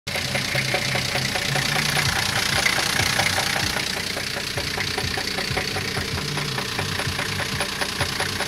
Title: Что то стучит в движке)